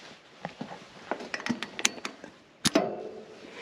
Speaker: hear that thunk you have to listen to that it's easy to get in a hurry and not take that half a second to listen because now we know that that opened